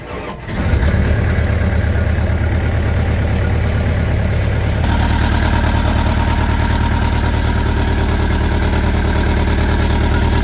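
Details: Mini loader diesel after a leaking water pump was dealt with, coolant refilled and oil level checked, started to check for leaks: it cranks, catches within a second and settles to a steady, even idle with a firm low rumble. Normal start and idle.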